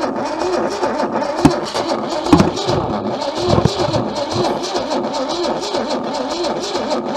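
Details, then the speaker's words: Old junkyard Holden, breaker-point ignition, cranking on a tired battery: cranking speeds up and slows down unevenly as one cylinder has no compression, blowing back under a stuck-open valve. "That's the sign that it's blowing back under this valve."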